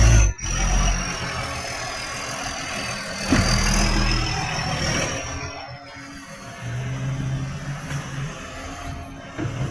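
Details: Tweed garbage truck 3218 with a massive exhaust leak: a heavy diesel running very loud and raw, with an uneven chuffing roar.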